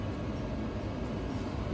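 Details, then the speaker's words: Trane gas furnace after repair, as the inducer motor kicks in. Low even hum with no squeal; the motor that was screaming before now runs quietly and the gas lights: normal inducer motor. "Oh, that motor's kicking in. Oh, yeah, buddy. Oh yeah. And it's quiet, too."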